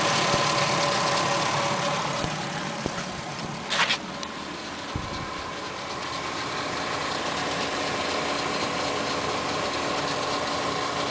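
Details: VW 24v VR6 petrol engine idling: a light metallic timing chain rattle over the steady hum, gone above 1500 rpm; the owner suspected something was blocking oil flow to the tensioner, which seemed right.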